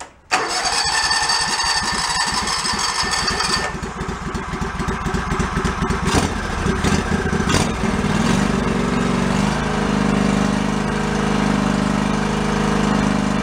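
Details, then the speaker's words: Yard-sale John Deere LX178 with a liquid-cooled engine (owner believes Kawasaki), hydrostatic drive, 44-inch deck: cranks and catches quickly, then settles into a slow, low-pitched idle short of revs. Low idle speed; more rpm needed. "downstate but we need more rpm"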